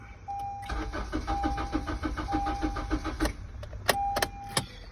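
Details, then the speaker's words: Honda CR-V, crank no-start, green key light on: steady starter cranking about three turns a second with a chime, engine never fires; the immobilizer isn't recognizing the key chip, so the ECM blocks starting. "you need the chip in order for the car for the immobilizer to recognize the chip and the ECM can send the signals where it should be set"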